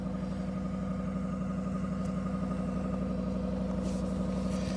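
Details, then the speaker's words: 2022 Ram 1500 5.7 Hemi, cold start at -24°C (feels like -33°C), not plugged in overnight and unstarted for a week. It fires right up to a fast, even, raised cold idle, about three pulses a second, no misses. A healthy engine warming up. "Oh, yeah. Let her warm up. She's still revving out. She hasn't been started in a week. Just been sitting here."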